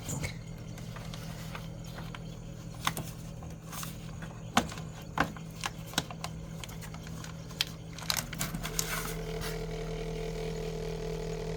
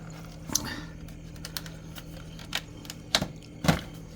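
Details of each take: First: Samsung Zipel SRT686FVIS refrigerator: steady hum with a buzzing vibration rattle that returns when the newspaper is removed from between the condenser and the floor; the condenser mount vibrates, and the wedged newspaper stops it. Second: Samsung Zipel SRT686FVIS refrigerator after fix: quiet steady hum with no rattle, a few stray handling clicks; periodic rattle came from loose condenser mounting at rear, silenced by wedging newspaper between condenser and floor.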